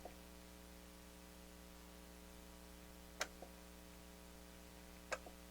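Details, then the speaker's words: Technics SL-7 turntable during restoration: two sharp solenoid clicks a couple of seconds apart over faint mains hum when start/cueing is pressed, electrics working, but the tonearm stays up because the transport lock was left engaged. "sounds like to me the electrical is working i can hear a solenoid inside kicking when i hit the button but the tone arm is stuck in the up oh you know what duh i had the tone arm lock on"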